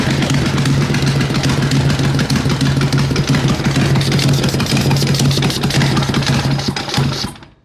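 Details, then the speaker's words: Racing lawn mower engine after 2.4 hours of racing, losing oil, smoking: loud uneven chugging with rattly knocks over a rough idle before shutdown; engine wobbling loose from missing mount bolts, an easy fix. "Good news is that it starts. Bad news is that it's wobbling around. That's an easy fix."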